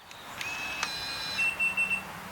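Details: Latch.It V2.1 keyless RV camper door lock just programmed to key fob: a few short high beeps and chirps answer the unlock press without hesitation; normal response.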